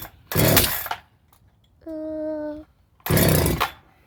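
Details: Husqvarna 365SP after a rebuild: new piston, cylinder, rings, muffler, carburetor, coil, plug and wire. Spark is good and compression about 160 psi. Started on choke, it gives two short bursts that each die within a second. The owner suspects timing.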